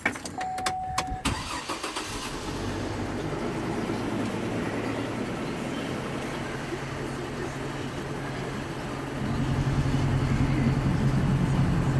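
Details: GMC Envoy XL after reassembly: starter whirs, engine catches and settles into an uneven, lumpy idle that surges near the end; rough idle persists, cause unclear.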